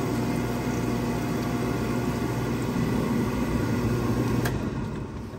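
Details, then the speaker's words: Williamson oil furnace burner on diesel fuel during service, good oil flow (unknown prior starting issue, belt needs adjusting): steady even roar with low hum as burner lights and holds; normal ignition. "And she ignited too, so now we'll see if she stays running."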